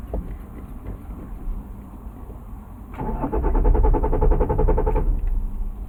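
About two seconds of even, rapid starter cranking that never catches and then stops; engine turns over but won't fire.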